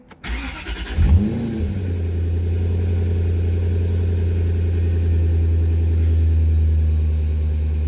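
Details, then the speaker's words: 2004 Jaguar XKR V8, which idled roughly on 6 or 7 cylinders after sitting for months, restarted after a loose intake that had come off the throttle body was refitted: catches after brief crank, smooth even deep idle; fixed. "That sounds a lot better."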